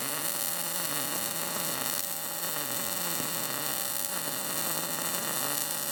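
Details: Arccaptain MIG200 inverter MIG welder at 19 V, synergic mode setting amperage and wire speed automatically, drag technique; steady, even frying crackle without breaks or pops; a well-set arc, result judged not bad.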